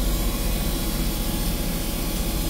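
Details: Westerbeke marine generator set after capacitor replacement fixed low AC voltage, now 120 V, carrying chargers, freezer plate, grill, gyro and air conditioning: steady deep drone holding its note as loads come on, no surging or laboring; healthy under load.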